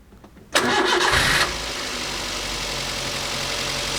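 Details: Car during starting-system cranking test: about a second of brisk, even cranking, voltage dipping to 10.5 V, then quick start and steady idle with alternator charging 14.3 V; healthy starting system.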